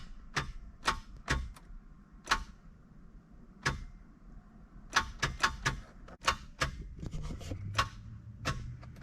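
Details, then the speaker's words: Project Nissan 300ZX first start attempt: single sharp clicks at uneven intervals with no cranking; starter not turning engine, owner suspects seized or non-engaging starter. "Confused, is the starter seized? Is it not engaging?"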